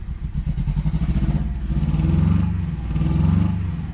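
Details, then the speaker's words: Fifth-gen Honda Prelude 2.2 VTi VTEC automatic, running after ECU swap with immobiliser resistor transferred: low, uneven lumpy idle with a recurring hollow gap, not firing on cylinder one; cylinder misfire. "if you can hear that it's not firing on piston one"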